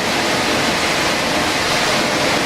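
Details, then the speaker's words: Airrex HSC-60 portable spot cooler running correctly phased: steady, even rush of air from the blower motor with no high compressor squeal on top, which would come with an out-of-phase E4 condition; normal blower running. "you notice that the units running there's no high squealing it's all - here is the blower motor"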